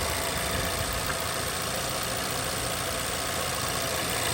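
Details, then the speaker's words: Vauxhall/Opel Insignia 1.6 SIDI A16XHT idling after replacing the failed PCV valve; runs smoothly and more quietly, with the previous squeal/whistle gone. "yeah and it starts and look how nice is bad on here anymore I don't hear that whisking sound coming from here"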